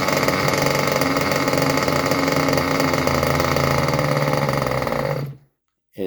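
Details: Junkyard Mutt nitro engine on a break-in stand, first start with the shroud off: buzzes with a rough, burbling, uneven rhythm, then cuts out; running rich, needle seemingly set very far out.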